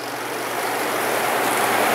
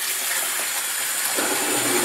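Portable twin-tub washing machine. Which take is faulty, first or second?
second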